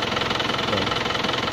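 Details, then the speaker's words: Used diesel car idling with an even clatter and no stumbling or missed beats; judged normal and well maintained. A limping sound or hard starting would be cause for suspicion. "Jadi pas kita cek semua tadi tahapan-tahapan itu seperti itu mesinnya adalah kondisi normal dan dan terawat gitu"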